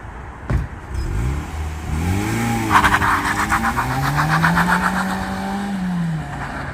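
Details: Mazda 6, one owner, 118,000 km, stock exhaust before a planned change. Smooth, even revs rising and falling with a clean pitch that follows the throttle; quiet, healthy factory exhaust.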